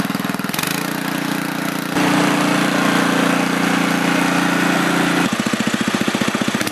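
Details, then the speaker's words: Older 7HP Tecumseh snowblower engine after carburetor rebuild with a new kit, on fresh gas, two shots of primer and choke on: steady, even running that picks up smoothly and settles with no stumbling or hunting; runs well. "so it runs good I'm just going to do a quick restart to make sure that everything's still good even though it's warm"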